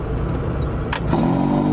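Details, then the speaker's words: Rusted Ford Bronco II with the heater switched on: a steady low buzzing drone rises over the engine rumble, a harsh blower buzz likened to a vibrator. The cause is unknown. "the heater that sounds like a vibrator"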